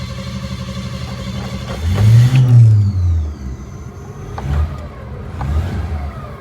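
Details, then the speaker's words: 1954 Chevrolet after new starter installation, with new transmission and brakes: engine fires and takes a few quick throttle blips, revs rising and falling cleanly with no misses or knocks; normal start and running. "we're up and running now let's see if I can get more further than that"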